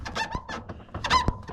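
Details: LG top-load washer WT7200CW in spin cycle: rapid high rubbing squeaks several times a second, the tub rubbing its pads.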